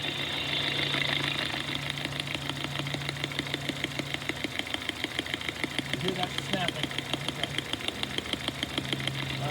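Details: Ultrasonic probe (Infocon Whisperer feeding scope and speaker) held about 1/4 inch from ignition coil 1 on a running engine, scope triggered on the PCM coil signal: sharp, even snapping about three per second; normal spark snap.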